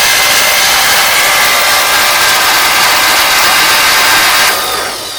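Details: 1953 Oldsmobile Rocket Super 88 barn-find engine, valve covers off, cranked by starter with spark plugs removed before ever running: fast, even starter whir with no compression pulses, turning freely; rockers and pushrods working, engine loosening up.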